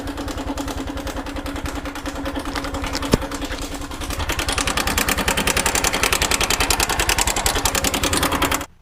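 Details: 2021 Honda Wave at about 12,000 km (12,899 on odometer), mic held close at idle: fast steady ticking clatter about 3.5 per second; slack timing chain suspected, cam bearing thought unlikely; earlier cam bearing failure at 5,000 km.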